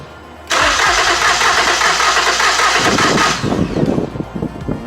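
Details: 2013 Ford Taurus 3.5 V6 before water pump replacement, cranking for a compression test with the fuel pump fuse pulled: steady, even cranking for about three seconds with no dragging; about 125 psi on this cylinder, others 120-130, good.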